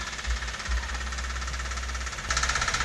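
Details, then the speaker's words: 2012 Toyota Avanza at idle, heard from below, owner complaint of a rough, diesel-like engine: a hollow, regular knock from the side of the block grows sharper and louder; mechanic suspects piston slap against the cylinder wall. "kalau dia ngeflek atau benturan piston sama dinding silinder itu biasanya olinya tidak bercampur samagram ya suaranya seperti ketemu Hai Heh Coba"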